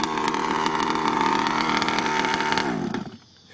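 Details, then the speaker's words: Rovan Q-Baja Shorty 29cc two-stroke 1/5-scale RC car, first run-in on stock, untouched tuning, near the end of the tank and revving up: a high, even buzz with no misfires, flooding or surging, then shut off; runs well. "it's not going flood out not jumping not doing crazy stuff and all that kind of good good stuff but uh so far so good it runs well"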